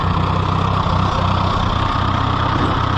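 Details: Case VAC four-cylinder tractor at idle after battery and wiring trouble; a low idle thump with an uneven beat and occasional dropped pulses, so the owner says it still has a miss.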